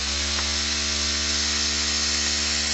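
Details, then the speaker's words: Cheddar Pintail steam engine of about 2 cc with ceramic burner, on first test at around 2–3 bar: a fast, even hiss and whirr with no knocks. One cylinder gives slightly more; it runs perfectly. "peut-être qu'à deux bars tu pourras justic et de resserrer un tout petit peu mais voilà il marche nickel"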